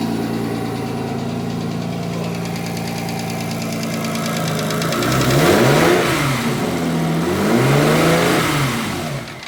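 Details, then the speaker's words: Porsche Boxster with Audi S4 2.7 bi-turbo forged engine, after replacing a bad lifter: warm, after about a minute, smooth even idle and two clean throttle blips, no tapping. Cold-start noise, possibly piston slap, disappears once warm. "So it's been running for about a minute there, and it sounds fine, so I'm not going to concern myself anymore with a noise on startup."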